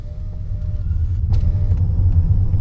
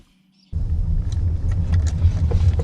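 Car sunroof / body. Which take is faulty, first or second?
second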